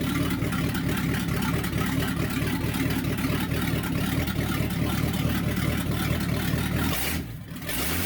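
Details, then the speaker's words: 1964 Chevy C10 pickup with a freshly built small-block V8, first start: deep, lumpy V8 burble with even beat and a clean throttle blip near the end, no ticking or knocking; sounds healthy. "so yeah like a throaty v8 for you yeah yeah that sounds good"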